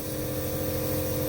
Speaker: Machine on करने के बाद इस पे इस तरह की आवाज़ आएगी। 2 आवाज़ें आएंगी, एक तो कंप्रेसर की आवाज़ आती है और दूसरा मशीन में दवाई के घुलने की आवाज़ आती है।